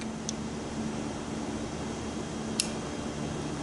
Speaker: And if you hear a click, I'm pushing in. Hear that click? That it went past some ridge there.